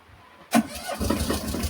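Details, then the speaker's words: Tata Ace Gold diesel that cut out while running and wouldn't start: after restoring missing supply line to the alternator (dynamo) wiring, catches first crank and settles into a steady even healthy idle. "பாருங்க இப்ப பக்காவா இருக்கு."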